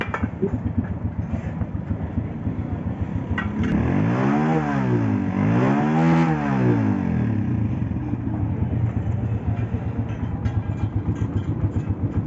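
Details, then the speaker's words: Honda 125 motorcycle, 1991 model, after top-end/cam noise repair: steady single-cylinder thump rising and falling smoothly through two revs with no knock or top-end clatter; runs normally, much quieter than before. "यार sound तो पहले से बहुत अच्छा हो गया इसका जो मैं लेकर आया था जिस कंडीशन में उससे अब बहुत बेहतर हो गई है"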